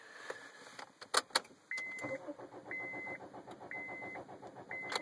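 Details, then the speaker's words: Honda Civic turned with a 3D-printed key: the starter cranks steadily under repeated chimes and the steering lock releases, but the engine never catches. The immobilizer doesn't recognize the key. "can hear it cranking it. It undoes the steering wheel lock, but it won't actually start the engine."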